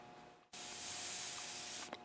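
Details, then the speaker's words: Tecumseh Snowking snowblower engine idle restrictor screw (#640027) after cleaning with fine wire: air blown through the fuel line gives a steady, airy hiss for about 1.5 s, so the passage is clear; before cleaning it was plugged, causing surging and poor idle. "And as you can hear there, it's nice and clear."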